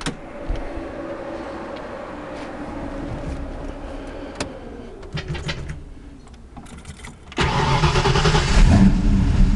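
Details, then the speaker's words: 1988 Ford Mustang GT Fox body V8 with Maximizer long-tube headers, one-wire alternator and twin radiator fans; starter whirs, engine catches and settles into a deep, even, lumpy idle with a strong low rumble, normal start and idle. "And it runs pretty good now. We'll fire it up here."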